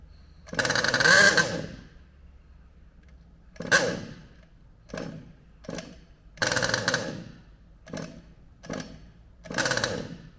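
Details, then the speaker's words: HPI Savage Octane petrol RC car small two-stroke: bursts into a buzzy rev for a second or two then dies, repeatedly, as if the spark stops; owner suspects ignition, not fuel or carburation. Not confirmed. "definitely sounds like an ignition problem not a fueling or carburation problem just a way that it runs and it just stops as if the spark stops"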